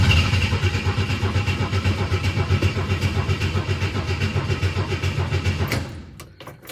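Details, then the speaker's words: 1962 Chevy II with freshly rebuilt carb after sitting, starter cranking evenly about four beats a second for six seconds, never catches even with ether; no fuel pressure from a dead fuel pump, no start from fuel starvation. "we are cranking so we got that going for us Thunder to run on starting fluid it's acting like we're not getting any fuel"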